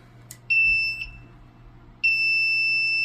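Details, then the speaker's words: Apartment fire alarm panel giving two long steady high beeps about a second each, showing power trouble; batteries to be replaced. "All right, here at this fire alarm panel, we're getting these little troubleshoots signals."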